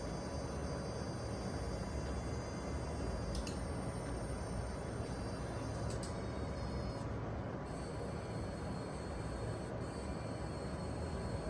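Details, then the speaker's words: Asus TUF Gaming AMD Radeon RX 7900 XT graphics card showing a faint high-pitched coil whine over low fan hum, noticeable regularly, varying with what is running. "now coil wine is mostly sample specific and then it is often specific to certain games or super high FPS gameplay but the XT here had a noticeable amount of coal wine regularly"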